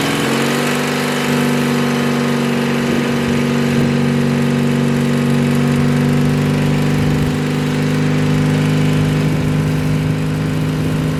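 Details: 1986 Murray lawn tractor, over 40 years old, mowing after carburetor repair: a steady, even drone at constant speed with no misses, knocks or surging; the engine runs well.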